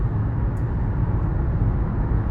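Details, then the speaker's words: Nissan Rogue CVT after repair, road test with codes cleared: steady, even road rumble with no knocks or engagement thumps; it drives smoothly and quietly, earlier shocks when selecting drive and reverse now gone. "тому що коробочка їде по відчуттям дуже добре"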